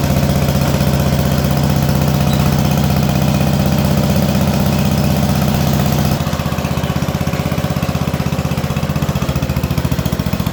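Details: Allis Chalmers B210 garden tractor, unused about a year, after battery charge, fresh fuel and carburetor bowl dropped: steady thump then drops to slower even idle, runs cleanly without stumbling; normal idle.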